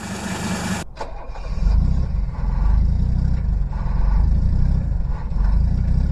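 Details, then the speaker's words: Diesel cold start on a cold Texas day after two glow-plug cycles (one glow plug suspected weak): one cylinder cutting in and out, then settles into deep steady rumble, all cylinders catching as it idles. "we're gonna let it idle it'll it'll catch on hear that one cylinder coming in and out there it goes"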